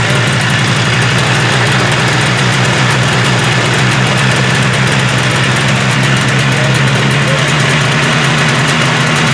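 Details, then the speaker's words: 1978 Arctic Cat Jag 340 two-stroke snowmobile, rebuilt after low compression on one cylinder: steady, crisp buzz with even, fast firing and no misses; both cylinders pulling, runs healthy, carbs still to be adjusted. "yeah and she sounds good she's ripping on two cylinders we got to adjust the carbs that are in a little bit"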